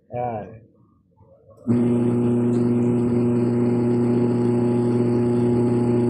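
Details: Washing machine with new replacement motor ordered online, tested after the old one would not spin; a click, then a steady, even hum with clean constant tone, no grinding or rattle: normal motor run.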